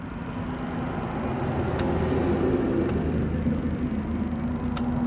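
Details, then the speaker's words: Honda Grazia BS6 scooter with a starting problem; low steady hum of the fuel pump priming normally for a few seconds after key-on; wiring found chewed through by rats. "चाबी घुमाकर चालू करें। हम ईंधन हैं। मुझे motor की आवाज सुनाई दे रही है।"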